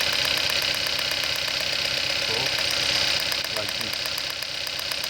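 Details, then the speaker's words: 2012 Hyundai Accent 1.6 L four-cylinder with random misfire codes P0300–P0304: sharp, fairly regular snapping tick, about 160 a minute, over an uneven idle from an ignition coil arcing out its side; fixed by replacing all four coils. "This is also no good. Leaking from the side. You can hear the hard sound. Misfire."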